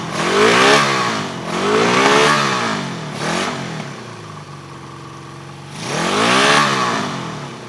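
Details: 1974 Honda CB350F four-cylinder, left sitting outside for years: uneven, lumpy note through throttle blips, stumbling as revs fall, running on three of four cylinders; owner suspects a blocked carburetor float or pilot jet.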